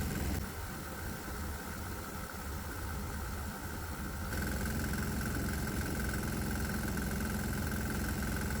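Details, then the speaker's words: 196cc 3hp single-cylinder diesel with one of four methanol-water vaporizers on, then a shot of propane: a steady beat with a rattly knock that grows harsher. It runs much better on propane but the combustion knock gets a little worse. "Okay, for the record, this engine runs a lot better with propane, but the knock gets a little worse."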